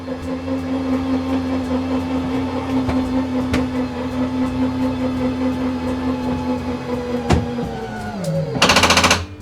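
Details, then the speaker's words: 2022 Forest River Sabre 37FBT fifth wheel, 12-volt bed slide motor: steady low hum dropping in pitch, then rapid ratcheting clatter meaning the slide is fully in or out; normal clutch ratcheting at end of travel. "hear that ratchety noise, basically meaning it's all the way in or all the way out, depending on which way you're going."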